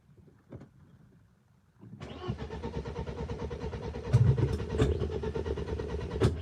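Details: BMW E36 M42 on new Microsquirt standalone ECU, unrun for about six weeks: uneven, labouring starter churn, engine never catches; cranks without starting, owner worried about draining the battery, fuses to be checked.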